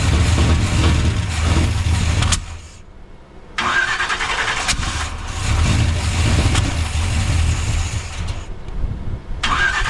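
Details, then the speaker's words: Freshly swapped Gen 6 454 big-block V8 with hydraulic roller cam in a 1976 C30 dually, after adjusting idle speed: runs rough, sags almost to stalling, stumbles on; won't hold idle. Owner suspects timing too advanced, unconfirmed. "This thing will not idle."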